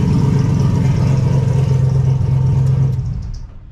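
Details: Car just fitted with a baffled oil catch can, started with the hood off: steady low drone over a rough idle with a constant hum from a very noisy power steering pump that sounds about to fail; crankcase fumes now gone.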